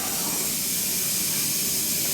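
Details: Newly installed gas boiler with three circulator zones filling before purging: a steady, even hiss of water rushing into the new pipes with no dripping or spurting; holding tight, no leaks.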